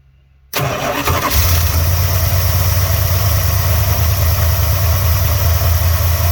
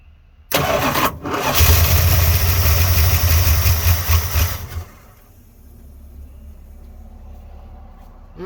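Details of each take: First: 1986 Dodge Ramcharger, start after carburetor cleaned and reinstalled, fuel primed from tank to filter: quick catch, then deep, smooth, even idle that settles and holds without stumbling; starts and runs properly, though owner may be low on gas. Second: 1986 Dodge Ramcharger just after carburetor install, fuel poured down the carburetor throat; engine catches, runs rough about three seconds then dies; owner suspects the carburetor needs more fuel.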